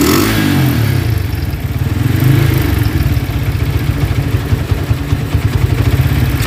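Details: Honda Tiger single-cylinder motorcycle that smokes when cold and has lost power, started after a wash, revving: fast rough clatter from the cylinder head speeding up with throttle; cause found to be loose rocker arms.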